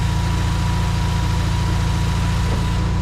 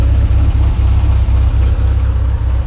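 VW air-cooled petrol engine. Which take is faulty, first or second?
first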